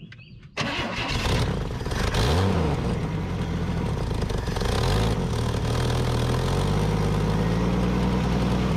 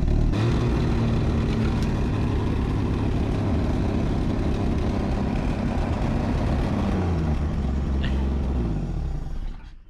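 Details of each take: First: Junkyard Chevy LUV camper, long unrun, after fuel system cleaning and new fuel hose: engine catches straight away, revs briefly, then settles into steady even running with no knocks or misses; throttle sticking, not tuned up. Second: Junkyard Chevy LUV camper, old four-cylinder freshly revived after sitting for an unknown time, untuned: revs up well but sags and stumbles on light throttle with an uneven low rumble; throttle sticking, tune-up and valve lash check suggested.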